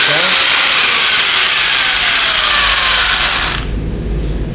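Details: Modern M2130B electric drill, dead before, repaired by fixing faulty switch or its cable, reassembled and on mains: high steady motor whine at full speed, then cuts off and winds down; spins freely, healthy.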